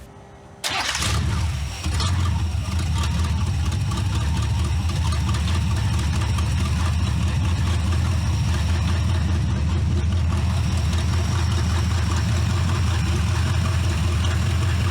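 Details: C4 Corvette-based kart V8 after a tune-up, radiator just refilled, started before warm-up and timing check: a quick crank and catch, then a smooth, steady idle with an even low rumble and no stumbles. Normal start and idle, "like a sewing machine."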